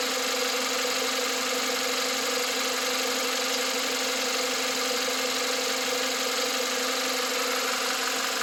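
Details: 2021 Volkswagen Atlas, 2.0 TSI EA888, 7500 km (4660 miles), fresh VW 0W-30 oil: at cold start, once revs drop to idle, a fast, light ticking/knocking rides over the engine hum; source not pinned down.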